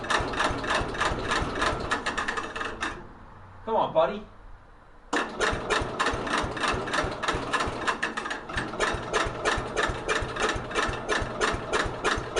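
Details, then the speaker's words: 1964 Cub Cadet 70 tractor with a new engine, cold start around 10 degrees, on a jumper charger: sluggish, uneven clicking crank about three strokes a second with a pause; slow cranking, battery suspected. "the battery didn't sound good"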